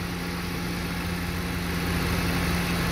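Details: Car with LPG conversion, about 243,000 km, after fixing a too-lean gas mixture, running on petrol: steady, even idle with low constant hum, no misses or hunting, normal idle.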